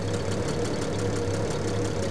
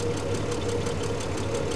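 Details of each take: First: 1975 Triumph TR6 PI straight six, Lucas mechanical injection, warm idle after mixture set back and leaned a touch (about 20 rpm change): steady, even idle with smooth low throb, no misses or knocks; normal, happiest setting. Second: 1975 Triumph TR6 PI straight six, Lucas mechanical injection, warm idle: even idle with light, quick, steady ticking from one tappet that has always been noisy, not out of adjustment, quietens after a while; noisy tappet.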